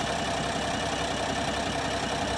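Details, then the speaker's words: 2025 Ram 1500 Rebel, twin-turbo inline-6 SST standard output, 2,500 miles, no check engine light: harsh, lumpy idle with irregular thumps and clatter, engine visibly shaking from a solid misfire. "there's no check engine light you can clearly hear it misfiring but if you want further proof let's just take a look at the engine"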